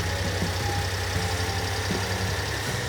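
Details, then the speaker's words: 1992 Honda Acty micro bus after new distributor, ignition parts and carburetor tuning: even, steady low idle with a smooth pulse and no knocks, misses or hunting; normal idle. "Austin worked his magic. He's got this thing running like a top. I mean, it's a champ."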